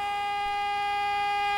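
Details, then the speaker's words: U-Teck Gas-Trac gas detector switched on: tick rate speeds up and a steady piercing single-pitch alarm tone sounds as lights advance to red while the sensor warms, stepping back to green ready in about 20 seconds; normal start-up battery and alarm self-check. "see the lights advance to the red okay as the sensor is warming up now this should be accomplished usually when in in about 20 seconds it'll step back down through the lights to the green ready light"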